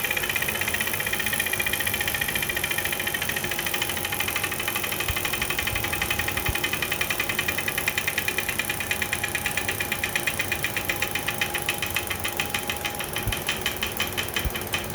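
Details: JetBlack Victory bike trainer, on its fifth or sixth ride, after repeated sprint efforts: steady whir with quick, regular knocking that follows pedalling speed, started mid-ride; suspected known fault in a spring batch, unconfirmed.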